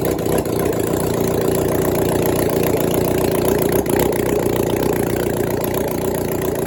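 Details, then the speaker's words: 1996 Suzuki GSX600F after an engine swap, carbs hooked up to the tank, restarted after a short first run. Catches quickly and settles into a steady, even idle with a smooth rapid beat, no misses or knocks: healthy idle. "Yes, and she starts up really easily even after the short run, which makes me really happy."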